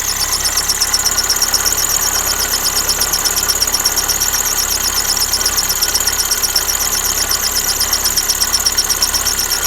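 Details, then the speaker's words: Lada Kalina at idle: shrill, rapidly pulsing chirp-squeal from the alternator belt pressed against the flange of a misaligned tensioner pulley, one belt rib already torn off; fix is to straighten the pulley and replace the belt. "Ремень прижался к правой боковинке и терется, и тем самым создает звук."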